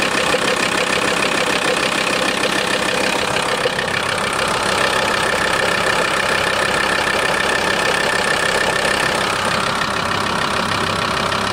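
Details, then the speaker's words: VW T4 2.5 TDI (ACV engine) diesel idling: rapid rattling tick about three per second over the clatter, which disappears when a little throttle is given; idle-only engine noise of unknown cause. "Jetzt gebe ich wieder ein bisschen Gas. Das Geräusch verschwindet."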